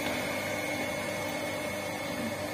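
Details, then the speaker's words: Shimizu water pump after repair of a shorted motor winding (spull), test run with water load: even, steady motor hum with smooth hiss, no more humming drone, spins freely and sucks strongly even with the inlet closed; normal pump operation. "Nah sekarang sudah bisa dipastikan bahwa pompa air ini sudah normal dan putarannya sudah enteng dan tidak terdengar dengung lagi"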